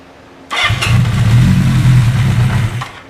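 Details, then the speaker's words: Honda CB550 four-cylinder motorcycle, freshly built, first start on carbs without starter fluid, choke on, neutral: quick crank catches at once into a firm, even low rumble with a little throttle; clean, healthy cold start. "well that's pretty damn good thing a little bit of throttle here see if I can can't probably don't want to do much more than that but that's pretty awesome that uh that fired up pretty darn easily"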